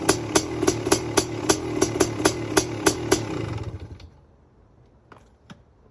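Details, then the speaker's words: Freshly race-rebuilt 500cc two-stroke CR500 engine in street-legal KTM chassis, stone cold, choke pulled, kick-started without compression release: sharp, even pops about three a second fading to silence as it winds down; healthy cold start. "you want to see me start this thing and you want to you want to see me do it relatively easily on a stone cold engine"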